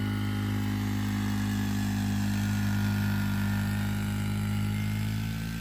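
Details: Yamaha YFZ50 taking off from a stop up a decent hill incline: single-cylinder note pulls strong and even with no stumble or bog.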